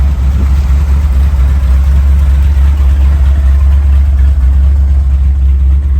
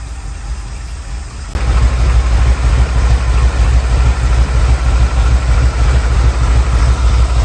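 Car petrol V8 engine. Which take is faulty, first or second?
second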